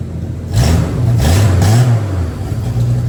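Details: 1963 Plymouth Valiant slant six converted to EFI (turbo build), cold start, 38 psi fuel pressure, big exhaust leak, O2 sensor likely fouled: idle pitch hunts up and down about four times a second and never settles; owner concludes the injectors are too large for idle.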